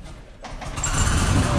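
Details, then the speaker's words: Nissan 240SX, long-sat car, first start on old tank fuel: fires first try, settles into a low, even idle with no knocking or rod knock heard. Normal idle. "That fired up on the first try. Is this thing idling?"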